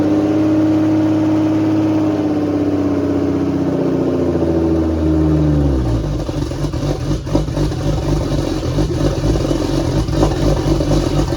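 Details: BMW E36 with budget turbo M52 inline-six, first start after turbo install and new oil feed/return lines: starter whirs for several seconds, then the engine catches and settles into a steady, even run with no knocks; no oil leaks found, normal running.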